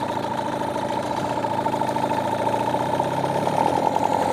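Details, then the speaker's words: New Hangkai 18hp two-stroke outboard during its 10-minute fast-idle break-in, on fuel with break-in oil doubled to 32 oz: steady, buzzy, uninterrupted fast idle with no misses or knocks. Normal fast idle. "so it's at a fast idle for 10 minutes. We're going to get a lot more smoke now with this much oil in the gas, but that's to be expected."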